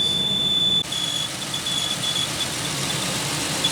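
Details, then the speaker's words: 2001 Pontiac Aztek, cold start: steady high-pitched squeal with a hiss over the idle, easing as it warms. Belt just refitted; tensioner barely moving; owner suspects the pulley under the water pump, not confirmed. Steam seen, possibly coolant burning off. "Well, it's warming up now, so it's until the squealing's somewhat going away. I noticed the tensioner isn't really moving as much."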